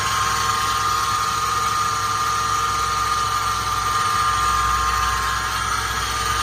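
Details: 2007 Toyota FJ Cruiser at idle after a cross-country road trip: a steady, constant-pitch high whirring above the engine hum, apparently new; source not yet traced.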